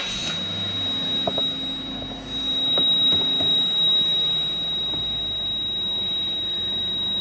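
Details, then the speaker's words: Steady high-pitched ABS warning buzzer in a quiet cabin of a 170-series Toyota Crown Majesta (1UZ-FE V8); codes: open pump circuit, brake booster pump motor on abnormally long, accumulator low pressure; stuffed ABS pump, no brakes. "brake booster pump motor on the time abnormally long accumulator low pressure turn it off we get even more lights when we turn it off"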